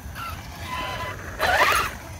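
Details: Traxxas Rustler 4X4 RC truck running outdoors: over the motor whir, a short harsh ratcheting grind bursts out under power; the ring and pinion gear in the rear diff was found stripped.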